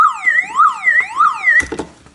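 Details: Aging car alarm siren unit running on its internal 6 V backup battery: loud electronic wail rising and falling about twice a second, then cutting off abruptly when a cable is disconnected.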